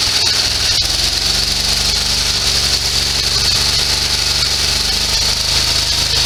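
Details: Sears SS16 garden tractor with an Onan twin, revived after years sitting, mower deck engaged. A lumpy, uneven twin beat sits under a steady high whine from the deck. It is running on one cylinder, cause unknown.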